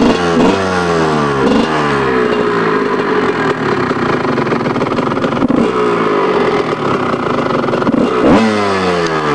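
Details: 2000 Kawasaki KX125 two-stroke starting up after rebuild; crisp buzz rising and falling through repeated sharp revs with clean pickup, steady return and no knocks, runs healthy.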